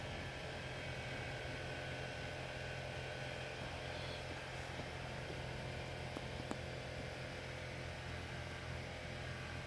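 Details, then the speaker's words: Mercedes E280 Airmatic after replacing the driver's front air bag unit: faint steady electric hum from the compressor, even and unbroken for ten seconds, as the car probably levels back to its original ride height; compressor running normally. "Yeah, we'll let this do its thing, I think, but it's definitely doing something. It's probably bringing the vehicle back down to its original ride height, probably, hopefully."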